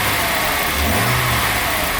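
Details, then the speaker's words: 1987 Jaguar XJ-SC 3.6 AJ6 straight-six, manual, sports exhaust, warming after an oil change, fan audible: smooth idle with a quick light rev that rises and settles cleanly, no misfire or rattle. Very responsive; normal throttle response. "but I have to say that straight 6, the AJ6, a very smooth 6-cylinder engine. Give a little bit of rev."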